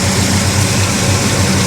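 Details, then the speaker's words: Monte Carlo V8 with 38 degrees of timing, idling about 850 rpm; pipes full of condensation from sitting: even, very quiet idle with steady low burble, no knocks or misses; normal idle. "Actually sounds very quiet."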